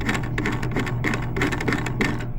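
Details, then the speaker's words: Supertop Arkanoid arcade spinner after its bushing was updated: light, even ticking as the knob spins freely and quietly, with little rattle and slight thrust play; much better than before. "It spins free. It's nice and quiet. I don't know if you can hear that."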